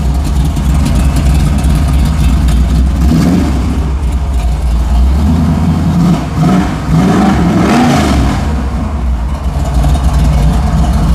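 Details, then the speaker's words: Vintage car with pull-out cassette deck; deep, lumpy V8 idle with clean throttle blips rising and falling crisply, no knocks or ticks; sounds good; normal idle and revving. "I love it. Oh man, that sounds good. Awesome."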